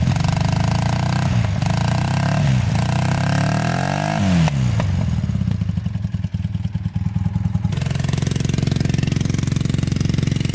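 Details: Honda trike with swapped CM400 automatic twin, long stored, rusty tank: revs climb then sag and stumble with a ragged beat, boggy in gear; carbs leaking gas, main jet suspected.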